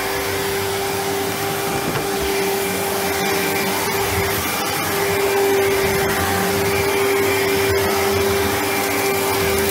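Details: 1997 Sebo X1 upright vacuum on first power-up after collection: constant smooth motor whine at one steady pitch with even airflow rush. Motor running normally.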